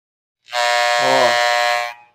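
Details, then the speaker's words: Corded Wahl Senior hair clipper, previously faulty (problem in the switch, now solved), with the power screw turned up a little. Harsh, high buzz that wavers and rattles when set too far, before the screw is backed off a turn. "Vamos aumentar apenas um pouquinho hora que ela fazer o crank a gente volta uma voltinho"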